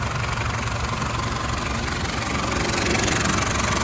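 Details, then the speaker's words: Citroën Berlingo 1.9D diesel after replacing a worn crankshaft (bottom) pulley bolted to about 110 Nm: even, steady clatter with no extra knock; exhaust knocked a little only at first start. Normal running after repair. "apart from when you first started the exhaust knocks a little bit this should sound like a new vehicle"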